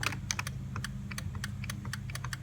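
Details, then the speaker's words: 2003 Chevrolet Trailblazer 4.2L six-cylinder, key on, power window switch pressed, heard inside the door: rapid irregular light clicking over a low hum with no motor run; window won't roll up; owner suspects a bad window motor. "The window won't roll up. If you listen down in here, you can hear there's a clicking noise. I think the motor's bad,"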